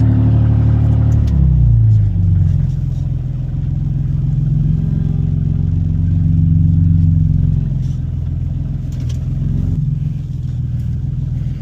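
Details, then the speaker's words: Infiniti FX37/QX70 run with the Y-pipe removed and stock exhaust behind it, before fitting an ISR Y-pipe for an exhaust rattle; open exhaust sounds very loud, with a deep raspy rumble, a blip, then an uneven idle drone. "let's see how it sounds without the white [Music] pipe sounds like crap"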